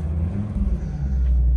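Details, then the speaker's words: Fiat Coupe started for the first time in about 3 months after being rolled out of the garage. It fires straight up and settles into a deep, even rumble with no misses or rattles. Oil pressure is really good; normal start. "straight up as usual this car is a revelation really good oil pressure"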